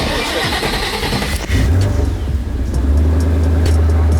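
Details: Twin turbo Ford Mustang Boss 302 during fuel system test after backfire issue, fuel pressure about 55-65: cranks, catches quickly and revs cleanly with deep rumble, no misses; healthy start.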